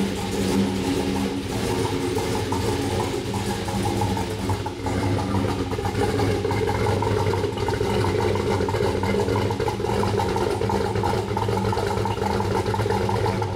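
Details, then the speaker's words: Turbo Trailblazer SS, 5.3L LMF with a Texas Speed stage 3 low-lift turbo cam, 76mm turbo and E85 only, on its first start. A steady, slightly lumpy, deep idle with no misses or knocks. Normal idle; tuning is still needed. "we are very happy with the way that starts up we have some tuning work to do from here"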